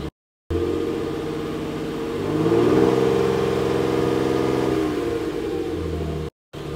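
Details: New, stock 2018 Nissan Frontier Pro 4X stock exhaust tone, before a Flowmaster 40-series-clone muffler swap. Smooth rev up, hold and ease down, with a clean steady drone. Normal.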